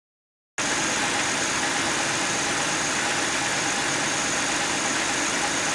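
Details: 2009 Buick LaCrosse with a 3800 Series III V6 at idle: a steady, even, hiss-like whirr with no knock that never changes, from a bad water pump bearing.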